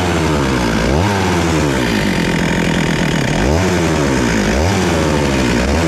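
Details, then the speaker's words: Stihl MS441 chainsaw, older saw, 145 psi compression, warmed up after a cold start: idle won't hold, revs surge and sag every second or so, needs feathering, sounds lean; diagnosed as worn piston and cylinder. "so as you see guys it just won't stay idling now that it's warm so it's idling really erratic when it's warm and i gotta feather the throttle it kind of sounds like it's running really lean and that's probably what's going on"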